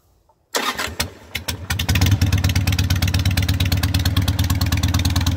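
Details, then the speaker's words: Harley 883 Sportster street tracker, start-up after fitting loud pipes for earlier Sportsters on modified, custom-built mounts (owner expects a carburetor rejet): fires after a few cranks, smoking, into a loud, even loping V-twin idle; runs great. "actually you can tell by the smoke and I already started it up but it runs great so let's hear it"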